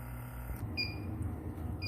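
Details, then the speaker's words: Inficon D-TEK refrigerant leak detector after repair of its broken charging port, wire glued in place; switched on in a quiet room, two short high chirps a second apart during normal warm-up. "Now let me go ahead and turn it on. It's going to warm up. It's going to start to beep."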